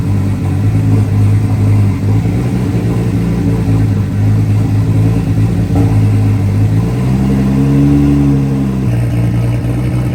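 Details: Nissan R32 RB20 straight-six, first start in 3 years, open downpipe with no exhaust: loud, even idle with a brief rev that settles back, steady rumble with no knocks or misses; engine sounds healthy, normal idle.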